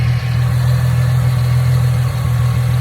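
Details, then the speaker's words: 2010 Ford Mustang 4.0L V6 with rough idling and sluggish acceleration, idling before the MAF sensor was disconnected. The idle is steady and low with a faint uneven lope and no knocks or ticks. The owner suspects the engine is not getting the right air; cause not yet found. "I'm going to start the car up because it's kind of been like idling a little weird. So I'm thinking it might not be getting the right amount of air."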